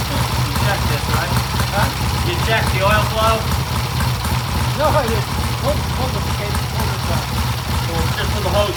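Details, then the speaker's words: 1967 Triumph vintage twin after ignition timing set to 38° at 4,000 rpm: steady even idle with clean pickup when blipped, no misses or knocks; good idle and rev, healthy. "And we got a good idle. We got a good rev. The bike sounds good."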